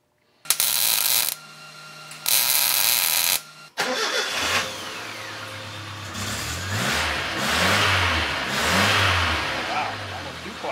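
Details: 1976 Chevy LUV 4x4 prototype (Isuzu), old muffler cut off and a near-new salvaged muffler fitted: engine swells up and back down in smooth revs with a deep, even exhaust note, no rattles or leaks; exhaust sounds healthy.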